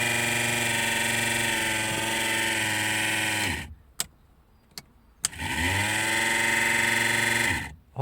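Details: Car heater blower fan that had stopped switching on runs with a loud steady hum and whirring, fading as it stops and climbing on restart; worn fan rubbing its housing, worn at the bolt, caught before it holed the heater radiator.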